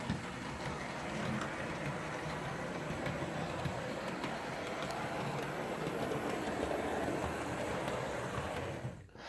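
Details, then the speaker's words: Nearly new Atlas GP39 DC model locomotive, under about five minutes runtime, not broken in, running on track: steady raspy gear whir over rail clatter, noticeably louder than a Walthers Mainline GP9; noisy drive gears. "this even more lightweight engine you do that there's a lot of gear noise in it I hope you guys can make it out because it's actually kind of horrible"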